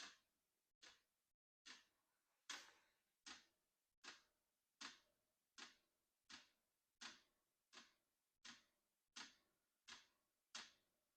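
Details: Unboxed diesel heater, first start out of the box: crisp, light ticks about one and a third per second over near silence, normal fuel pump clicking while it heats up with fan on.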